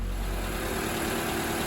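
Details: 2016 Toyota Camry RZ started after sitting three weeks on its original nearly six-year-old Century Yuasa battery: steady, even idle with smooth low hum, no knocks, ticks or misses; engine healthy.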